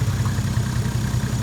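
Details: Toyota JZX110 stock 1JZ with HY35 Holset top-mount turbo, j-pipe delete, just started after the build, coolant not yet bled: low, steady idle thrum with an even beat, nothing knocking or ticking; idles cleanly.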